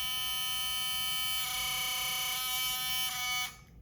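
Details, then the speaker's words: Philips Sonicare toothbrush with excessive play in the head: very loud, high, steady buzz; suspected loose internal screw. "It's also super loud. When I turn it on, you'll hear."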